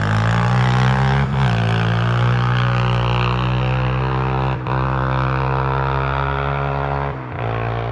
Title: Honda 300ex test ride after rebuild